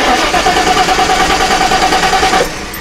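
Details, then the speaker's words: 1990 Lincoln Town Car with a fuel pump replaced two months earlier: even starter cranking about three beats per second that never catches; key-on prime showed no pressure and gauge stays at zero while cranking, no fuel pressure. "so no fuel pressure we can test for spark again"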